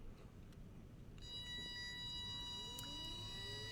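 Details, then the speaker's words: DC brushed windshield wiper motor under Arduino PWM speed control, duty cycle ramping: steady high whine with fainter tone sliding upward as motor speeds up; normal audible PWM switching whine. "so there's a pretty distinctive whining sound that you'll hear from that so be ready for that when it comes on"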